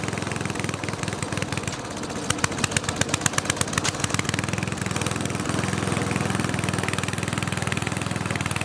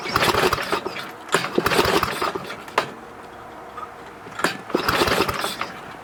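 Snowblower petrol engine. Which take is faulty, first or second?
second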